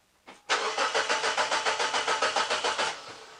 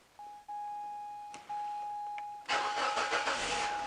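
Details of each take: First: Mazda 626 petrol engine with wasted-spark ignition, intermittent no-start: starter churns steadily at three to four beats a second for over two seconds with no catch or firing; cranks but won't start, spark confirmed present. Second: Mazda 626 with intermittent no-start, after repair improving the waveform and voltage drop: chimes, then a quick crank that fires at once into a smooth, steady idle; normal start and idle.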